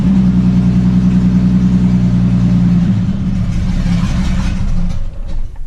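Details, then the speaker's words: Jeep XJ just got running, open header, O2 sensors unhooked, airbox and vacuum lines not connected: holds revs on throttle, then sags and stalls below 1000 rpm when released; cannot idle, suspected missing vacuum/sensor hookups. "as you can see right there right off the bat it will not idle see I got it down right below a thousand right where it should be idling and it won't"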